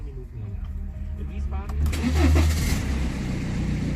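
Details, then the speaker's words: BMW that had no power and wouldn't start, after its junction/fuse box was replaced: short crank, then it catches cleanly and settles into an even idle; a normal start. "the car is working yeah I have to set the time in the date"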